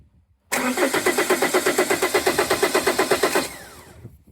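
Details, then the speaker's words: 2012 Vauxhall Astra 2.0 CDTi diesel, starter relay pins 30 and 87 bridged with back probes: an even, quick crank of about eight beats a second for three seconds that stops without firing. The starter turns the engine fine. "So the engine cranked and if Oh, hello."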